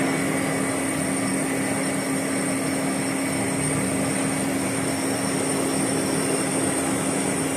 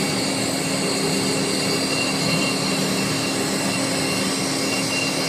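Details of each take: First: Boring the Volvo axle for a repair sleeve at 20 RPM, tool just made contact: constant humming buzz with a thin high ring throughout the cut, tool chatter, a hundredth to go on depth; factory surface was similarly chattered. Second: Hand-cranked crude radius cutter putting a radius on the Volvo axle part: continuous even hiss with steady thin high tones, no chatter or squeal; clean, smooth cut matching the original.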